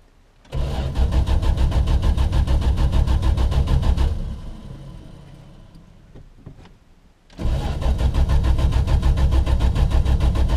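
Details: 1974 Valiant, cold start after months of sitting in freezing weather: a long stretch of slow cranking, about three turns a second, pauses, then cranks again without firing; the owner suspects a fuel issue.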